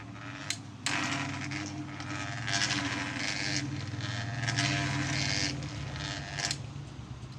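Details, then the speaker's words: Pedestal (stand) fan running very slowly with a low droning "goon goon" hum and uneven scraping bursts; worn fan shaft and loose bearing. "बिल्कुल स्लो चल रहा है और गूं गूं भर भर की आवाज़ निकाल रहा है।"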